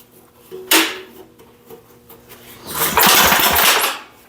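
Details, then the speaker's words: Abandoned vintage air-cooled Wisconsin AENL 9.2 hp engine, revival attempt; rope pulls give sharp coughing bursts that nearly catch, then die; good spark confirmed afterwards; almost fires but will not start, cause unconfirmed. "Almost act like it almost tried to start. I would have thought she would have barked right off."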